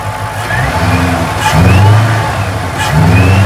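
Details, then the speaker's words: Mustang: two clean blips, no knock or stumble; engine sounds healthy but smoke kept coming out, getting worse. "all right I'm gonna go top the gas and see what happens"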